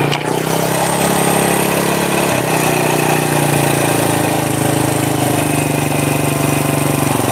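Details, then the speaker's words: Honda Supra motorcycle engine idling after a kick start, the front engine section sounding "horrific": a harsh rattling knock riding steadily on the idle of the small single, from a worn, loose clutch housing and crankshaft runout. "oke eh step ini suaranya horor ya teman-teman untuk bagian sini untuk bagian mesin depan"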